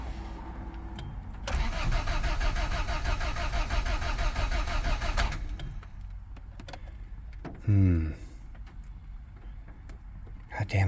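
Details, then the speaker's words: EF Civic sedan after timing belt work and valve lapping, fuel pump just rewired: nearly four seconds of steady cranking with no firing, then a short second try; spins freely, earlier noise gone, won't catch; timing doubted. "okay so that wasn't it that was a good idea and at least it quit making a now it just turns over so I know"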